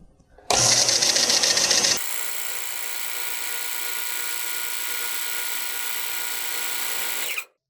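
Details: Garage-sale Delta belt/disc sander after cleanup, new belt and table repair, belt tracking adjusted; comes up to speed, holds smooth even hum, winds down cleanly; normal running.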